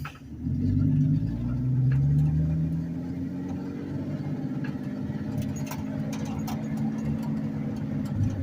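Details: 1984-89 Ford F-150 (84 front, 89 cab) with granny four-speed, crawling in low first gear without throttle: low, even rumble, steady and unlabored, no misses or knocks; healthy idle.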